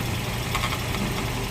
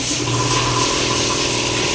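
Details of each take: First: 2017 Toyota Vios dual VVT-i idling with a steady low rumble and a faint buzzy rattle from the transmission; the transmission oil pan is deformed, despite alternator bearing, water pump and tensioner already replaced. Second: Toyota Vios after a transmission fluid change, engine revved while parked: revs rise and fall smoothly and the earlier droning transmission noise is gone. The alternator bearing, water pump and tensioner had already been replaced.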